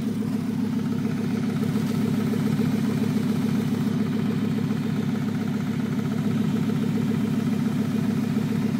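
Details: 1996 Volvo 850R on 93 octane at stock boost, steady idle with a light, even tick about three to four beats a second from the driver side of the engine, louder some times than others; owner unsure if it's normal.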